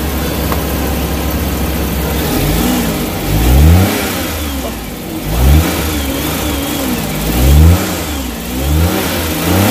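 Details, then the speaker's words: Suzuki Big Eye DA64/DA52W minivan, after an electrical repair for engine vibration and shut-off at idle with AC on: engine blips up and settles back several times with the aircon on, each rev clean, no hunting or stalling. "Bukas ng aircon. Bayad na opener con yun hindi nagbago op ah sorry ah tama no sige sig na nagbago yung RPM guys"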